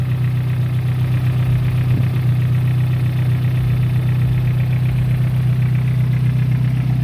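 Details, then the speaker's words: Toyota Starlet 4E-FTE after oil catch can installation, started and idling: low, steady idle hum with an even beat, no tapping or hunting; normal idle. "So yeah, this is the car starts. Normally it's gonna start regardless because it's just an oil catch can installation."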